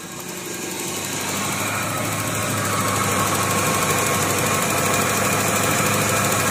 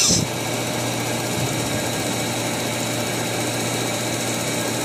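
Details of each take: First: Perodua Kembara HC engine that nearly stalled at very low rpm when the air conditioning was switched on, after a new FICD/UFO vacuum part was fitted and the timing sorted: idle settles and holds evenly at just over 900 rpm with the AC on, no dips or hunting. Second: Perodua Kembara with HC engine, AC on: low flat idle that won't rise even with the idle screw opened fully and drops further as the engine warms, nearly stalling; faulty FICD idle-up valve or vacuum suspected.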